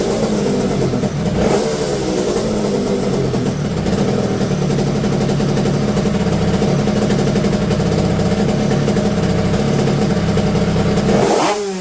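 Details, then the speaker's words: Yamaha TZR250 two-stroke being tuned by ear on petrol, unmapped, to find fuel demand: crisp steady buzz that picks up cleanly when revved and drops back; running and responding well. "And it seems like it starts to behave quite good. I'll start it again and you'll hear it."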